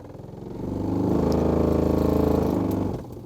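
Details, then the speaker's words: 2008–2013 Nissan Rogue heater blower at 14 degrees, making a "monster sound" when switched on. The fan winds up into a loud, rough, pulsing drone and dies away. The motor sounds binding but still trying to spin; debris inside is suspected, not confirmed. "you can tell it's almost like the motor is binded but it's still trying to spin"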